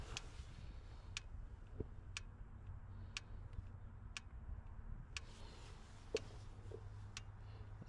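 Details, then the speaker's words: 2019 Kia Forte, 35,000 miles, replacement engine setting code P0017: key on, engine off actuation test gives sharp single clicks about once a second from the timing oil control valve; it is clicking and switching normally as commanded. "stop that so it definitely could click that much we know"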